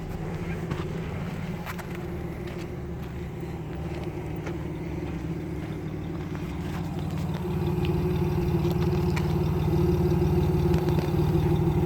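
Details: Camaro RS 3.8 V6 at idle: low, uneven, lumpy exhaust beat that shakes periodically, a cylinder misfire at idle.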